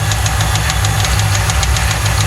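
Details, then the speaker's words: 1995 Lincoln MKVIII 4.6 4V Ford V8 after dealership timing set job, received with no oil and non-original filter: sharp regular metallic knock ~7 per second following engine speed at idle; rod knock, needs an engine. "Sadly, this story doesn't end well. It sounds like it's got a rod tapping in it. She's gonna need a motor."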